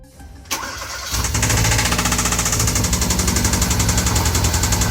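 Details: 2014 Hyundai Veloster Turbo engine, freshly rebuilt with machine shop work, just started and idling with the brake pedal plug unplugged: steady, rapid knocking rides over the idle and keeps pace with the engine, like a rod knock; the owner suspects cylinder number two, possibly an overheated piston.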